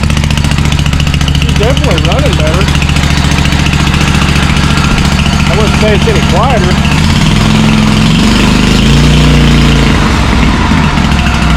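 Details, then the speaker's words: John Deere M665 zero-turn after the carburetor was tightened and both exhaust manifold gaskets replaced: a loud, blatty, high-pitched drone persists. The owner suspects a rotted-out baffle in one side of the muffler or a muffler hole. "Basically, what I think is the baffle in one side of the muffler has rotted out and is gone. That's why it still has that kind of high-pitch noise."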